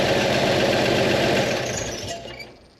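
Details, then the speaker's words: 1956 GMC 1-ton dually flatbed, running after its gas tank was cleaned: engine runs steadily with no stumble or misfire, then winds down. Fuel keeps the carburetor bowl full, though the owner thinks it may still need a higher-pressure fuel pump. "It seems like it's working. It's feeding it enough gas to keep it going."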